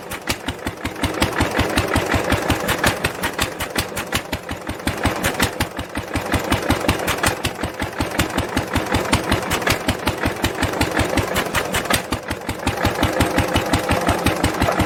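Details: 1946 International LBBR 3-5 hp hopper-cooled engine off a hay press, with a homemade glasspack muffler fitted: steady, even exhaust beats around 160 a minute with a deep thump and mellow tone; normal running.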